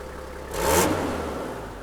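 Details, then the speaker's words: 1996 Toyota Land Cruiser 70-series diesel fire truck, about 15,157 km: brief rev with a sharp, breathy hiss from an exhaust leak, less audible with the door closed. "there's that exhaust leak i didn't hear the exhaust leak it's like right here"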